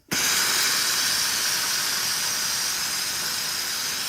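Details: Polti Vaporetto 2400 steam cleaner after cleaning and rebuilding the solenoid valve, pressure back in the green: steady even hiss of steam starting cleanly without sputtering; now steaming normally.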